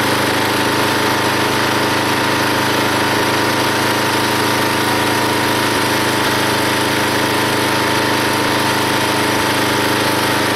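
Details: Log splitter small engine with new homemade spring-loaded idler arm tensioning the drive belt, splitting a log: steady, even drone, engine audibly takes the load, no squeal, hardly any pulley or belt slipping.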